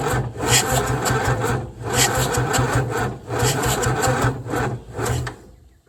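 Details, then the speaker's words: 1975 White 2-150 tractor unused for 19 years, cranked with the manifold off, starter-motor joints getting warm: laboured, uneven churning with slow, dragging compression beats about two a second, not catching; slow cranking. "nothing really outstanding there pretty bloody slow um so a little bit of heat coming off those um some of the um joins on the starter motor"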